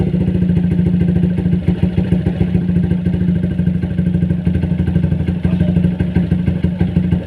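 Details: Single-cylinder motorcycle after a service with Una Racing HP3000 fully synthetic 4T oil and a cleaning: rapid, light metallic tapping at about three per second rides steadily over the idle; the engine knock is still present.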